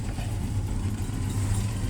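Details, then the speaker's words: VW Jetta with the EPC light on and codes P1579, P1545 and P1558, throttle basic setting not completed, just started: low, lumpy, wavering idle with RPM surging up and down and heavy vibration. Misfiring rough idle. "You can hear it. She's up, but she's misfiring. We have the EPC light on."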